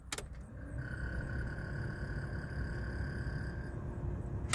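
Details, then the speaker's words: 1988 Pontiac Firebird Formula heater/AC blower motor, before replacement: steady whirring hum with a thin whistle and weak airflow. Noisy blower motor. "hopefully you can hear it the blower motor is making noise it's not really pumping out too good"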